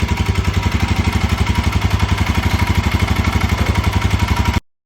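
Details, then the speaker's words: Royal Enfield Himalayan 411 at steady idle with sharp, even tick on every beat; customer complaint of engine noise, mechanics suspect the top-end rockers but engine not yet opened. "இது ஆக்சுவலா வந்து மேல ரேக்கர்ல இருந்து இருக்க மாதிரி எங்களுக்குஃீல் ஆகுது."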